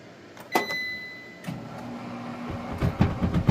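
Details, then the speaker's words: Frigidaire Affinity front-load washer with standing water in drum and broken door latch, pumping: clicks, then a steady low pump hum under handling clunks; normal drain pump operation. "Okay, that is pumping. It's going to stink in a minute. It's pumping."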